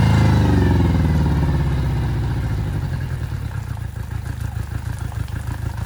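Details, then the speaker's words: Yamaha 60 hp outboard on a Bay Craft 17'5 skiff, first start, steering cable not connected: fires and revs hard, then settles to a steady lumpy idle; sounds healthy. "All right. All right. I mean, she's idling good."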